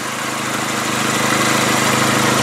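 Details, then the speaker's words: 2001 VW Jetta GLS Wagon, 2.0-litre non-turbo engine: steady even idle hum with no valve-train ticking or knocking; clean, healthy engine. "you can hear there's no valve training noise in this there's no High Rev knock beautiful car"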